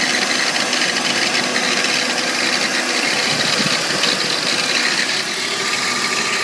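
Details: 1998 BMW 328i (E36): busy metallic rattle over engine hum, seemingly from front accessory area, loudest with A/C on and also when accelerating off the clutch; owner suspects a bearing, cause unknown.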